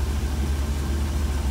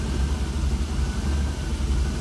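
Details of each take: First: Deep, even rumble at constant speed on a 1966 Cadillac with a Holley Sniper EFI, rock-solid once the IAC is unplugged; with the IAC under ECU control the idle hunts, worse as the engine warms. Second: 1966 Cadillac V8 with Holley Sniper throttle body, not fully warmed up, IAC plugged in: deep idle swells and sags about once a second as the IAC opens and closes; hunting worsens as it warms up.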